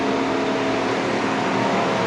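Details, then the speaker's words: 2013 Mercedes-Benz S350 CDI BlueTEC W222: steady loud whoosh with faint hum, no pitch change; engine cooling fan stuck on at full speed whether car is on or off, randomly stopping and restarting; diagnosis via Xentry. "cooling fan spinning. It's spinning at full speed. No matter car on or off, it shuts randomly wake ups."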